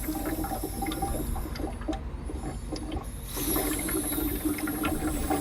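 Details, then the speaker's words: Land Rover Defender with a cooling-system problem, expansion tank cap opened on a hot engine: bubbly, watery gurgling and hissing as more pressure than expected escapes; coolant boiling or pushing air, cause not pinned down. "there's some pressure and you can hear the weird gurgling sound more pressure than I thought"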